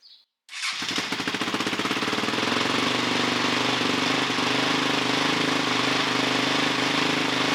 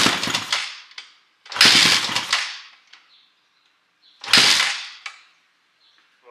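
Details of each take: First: 2006 Honda CRF450X with 450R head, after rebuild and idle adjustment: engine catches quickly and runs with a steady, crisp, even bark, revving fast with no knocks or misses; normal healthy running. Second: 2006 Honda CRF450X fitted with a 450R top end, kick-started: each kick gives a brief sputter that dies, almost firing. The idle adjusting screw had been fully unscrewed; choke used, and idle is later set too low.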